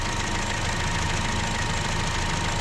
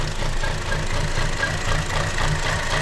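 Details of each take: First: 2015 Chevy Cruze 1.4L after replacing the valve cover and intake manifold: steady, even idle with a smooth low hum, no misses, knocks or surging; fuel trims near zero, O2 reading good. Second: 2015 Chevy Cruze 1.4L with check engine light and lean code: low, lumpy idle with an uneven pulse around four beats a second that never smooths out; lean running from a suspected vacuum leak.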